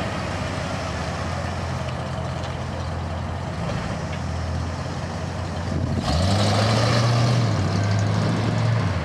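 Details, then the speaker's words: Ford F150 truck engine idling after fitting a higher-temperature thermostat and vacuum advance; smooth, even deep rumble that picks up slightly partway, no misses or knocks, running a lot better than before. "it's running a lot better now yeah so much happier higher temp thermostat vacuum advance really helps a lot"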